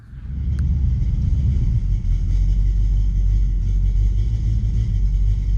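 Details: Deep, uneven, lumpy idle from an old small-block 350 V8 with a Torker intake in a Chevelle, with a slight lope and no clear knock; the owner suspects a mild cam or simply a worn-out engine, which is not confirmed.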